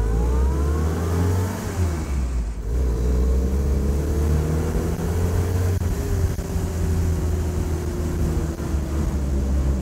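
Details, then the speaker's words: 77-year-old Willys Jeep, owner-built, first drive, pulling away in first into second: strong clean pull from low revs, engine note climbing evenly with no misses or knocks; engine really healthy, though second and third synchros aren't behaving correctly. "quite something hey it just leaps off it's incredible so yeah it's really healthy jumping there first into second"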